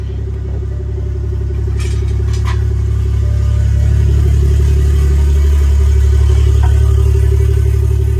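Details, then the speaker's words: BMW F30 340i B58, under car during ZF8HP50 transmission swap, first start with exhaust removed (open downpipe): loud raw deep unmuffled rumble, steady low pulse that swells slightly. "Yo, this jaw sounds crazy with no exhaust."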